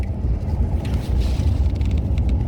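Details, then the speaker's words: 2013 F15 4x4 driving on the main road after replacing the front axle actuator, camera held out the window: only steady road rumble, with the earlier hum like a phone vibrating gone; normal quiet front axle. "well guys I do not hear a single noise coming from the front end"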